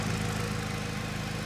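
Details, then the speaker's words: Salvage Subaru BRZ at idle: rapid, even puffing pulses keeping time with the firing, like gas escaping; a large exhaust leak underneath is suspected, not confirmed. "It very well could be this massive exhaust leak right here. Very well could be. It sounded like it was either on this side or could have been right underneath me."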